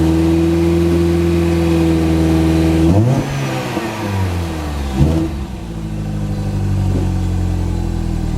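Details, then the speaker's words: Mini Cooper after coolant system repair, recorded behind the car at the exhaust: steady, even exhaust drone with two clean rev blips, no misfire or knock; some water seen in the exhaust. "you know what guys I really haven't heard it on the camera either or really heard a good sound of the exhaust mount from behind so"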